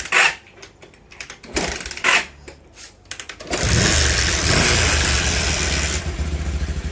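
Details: Bajaj Pulsar 150 with a pickup problem, after a new carburetor main jet and a pilot jet with an enlarged hole were fitted. After a few sputtering attempts it starts and holds a clean, steady rev and idle without popping; it runs healthy after the fix.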